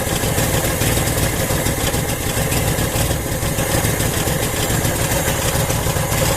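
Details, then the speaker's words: 1980 Honda Accord, first start after fitting a Weber 32/36 electric-choke carburetor conversion: choppy, uneven idle stumbling about twice a second, won't stay idling, sounds like it's missing on a couple cylinders. "She's a little bit doggy and doesn't want to stay idling. So we'll pull it up a bit until we start messing around with the other parts. Start it up again here. Sounds like it's just terribly messing with a couple cylinders."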